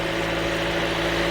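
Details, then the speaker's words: Toyota Corolla 1.8L after new fuel pump assembly fitted for a crank-no-start: engine starts and holds a steady, even idle with smooth low hum, no misses, fuel pressure 50 psi; repaired, running normally. "so right there as you can hear the engine started the engine is running so right now our fuel pressure is 50"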